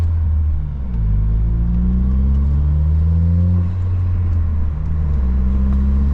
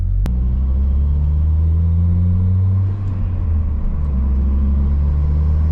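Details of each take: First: Saab 9-3 driving under acceleration with a misfire that started suddenly: uneven, stumbling rumble, revs sagging and hesitating, badly sputtering and skipping; coil packs and spark plugs changed about a year earlier; cause then being diagnosed. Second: Saab 9-3 driving after the owner found and fixed a misfire: steady, even low rumble with no stumble or jerk, pulling cleanly with no misfire.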